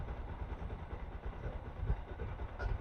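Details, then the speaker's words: Bajaj Pulsar NS200 during a battery-charging check, idling with the battery negative terminal disconnected. A steady, low single-cylinder idle with even firing pulses keeps running without stumbling, so the charging system is working. "अब देख सकते हैं गाड़ी हमारा बंद नहीं हो रहा, अभी भी स्टार्ट ही है।"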